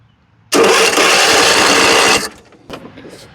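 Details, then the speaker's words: Ariens zero-turn mower with no-start no-click, starter jumped directly from its own small battery with jumper cables: about 1.5 s of fast, even starter whirr, engine spinning freely; starter and battery good. "we just learned two things right there there our starter's good our battery's good it'll spin over fine"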